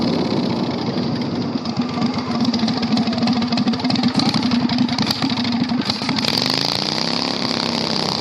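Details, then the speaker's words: 670cc Predator V-twin go-kart after carburetor fix, on test drive: very loud, harsh, raspy exhaust bark with sharp popping on top; unmuffled exhaust. "I don't want to ride it anymore. It's way too loud. Like, we are going to get, like, I'd be surprised if the cops have not been called already. It is so loud."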